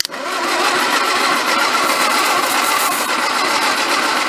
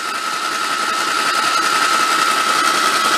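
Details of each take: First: 1953 MG TD parked 45 years, cold day, plugs reinstalled hand-tight with fuel fed to the intake: steady, even cranking whirr with no firing; starter sounds good but engine won't catch. Plugs possibly oil fouled, suspected not confirmed. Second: 1953 MG TD parked 45 years, cranked on a lift after oil was put in the plug holes, valve cover off to check oil flow: steady starter whir with an even rhythm and no valve-gear clacking. Cranking normally, with oil reaching the top.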